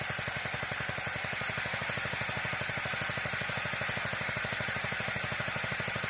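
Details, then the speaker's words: Old Wisconsin industrial single-cylinder reduction engine from cement mixer, tornado-damaged, carb only cleaned: steady beat with dry metallic chatter each stroke; rattle from reduction chain drive needing oil. "guys it's sprinkling but I achieved the goal she does start run sounds like the chain drive on that reduction need some oil though"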